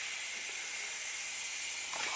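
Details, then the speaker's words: 2014 Audi Q7 3.0 TDI diesel, 181,000 miles, air suspension stuck and setting faults: steady airy hiss as the rear left line, cracked loose at the valve block, vents pressure; the rear should drop to its lowest setting but doesn't fully. "so once all that pressure depletes the rear of the car should be completely at its lowest [Applause] setting"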